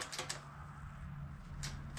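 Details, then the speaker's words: Toro Wheel Horse 520H garden tractor, sat in a shed for years, new battery fitted and terminals tightened: a few sharp starter clicks over a faint hum, engine won't turn over; still won't crank, cause unknown. "it just keeps acting like there's no juice okay so I followed the clicking noise"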